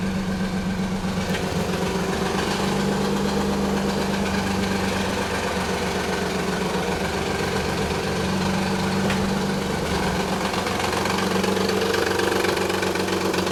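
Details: 1991 Nissan 300ZX V6 at idle: a constant light knock and rattle tied to engine speed that disappears once warm; the timing belt tensioner had collapsed, leaving excessive belt play, and both upper and lower idler pulleys were noisy. Fixed.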